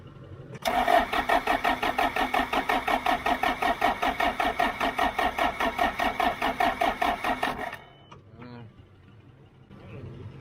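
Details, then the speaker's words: John Deere 310 diesel backhoe, hard-start attempt with Liquid Wrench sprayed in as starting fluid: starter cranks in steady rapid pulses for about seven seconds, never catching; cranks but no start, cause unconfirmed. "That's liquid wrench stuff. That ain't doing nothing. That ain't work too good."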